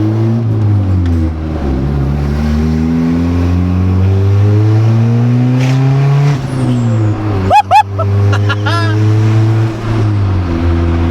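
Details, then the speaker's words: Honda Civic EG on first start after a turbo install, kept under 4000 rpm: revs climb and fall, then a quick fluttering chatter on lift-off as the turbo compressor surges, the blow-off valve venting slowly; runs surprisingly well. "it runs pretty good though I'm actually surprised that it runs as good as it does you hear the turbo like flutter"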